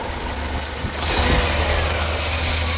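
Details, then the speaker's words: Used Hyundai Verna 1.6 SX VTVT petrol top-end model, engine started for a sale inspection, idling steadily and evenly with low, smooth firing and no knocks or rattles; no gas or oil blow-by from the engine; normal idle. "బండి engine sound వినండి friends చాలా smooth గా excellent గా ఉంటది బండి engine"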